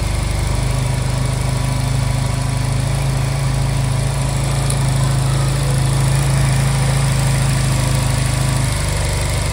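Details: Honda Silver Wing scooter that would not start, after new spark plugs: steady low idle hum, even beat, no misses or surges; idles cleanly, normal.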